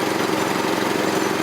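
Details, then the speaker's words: 1984 Troy-Bilt tiller with 6.5 HP 212cc Predator engine on a replacement spark plug, later found not tightened: smooth, even, fairly quiet idle with no knocks or misses, sounds no different from last year; normal. "Fairly quiet. Doesn't sound different from last year. We'll run it."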